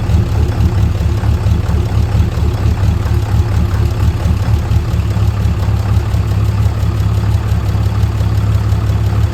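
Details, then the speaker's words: 6.7L fourth-gen diesel at idle just after a DIY valve adjustment: deep, steady diesel idle with an even low beat and no valve-train ticking. It runs healthy, though the turbo actuator and grid heater still need fixing. "Now, after I finished and I went and did a test run out on the highway and opened her up a little bit, it seemed to run really good."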